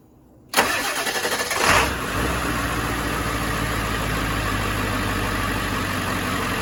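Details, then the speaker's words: Van's diesel on newly installed Odyssey Extreme 65-PC1750 AGM batteries, only 12.72 V after sitting two weeks: short quick crank catches within about a second and settles to steady even idle; alternator then charges about 14.1 V; healthy start. "But I'm pretty confident that they're going to crank the motor over even easier than the old batteries."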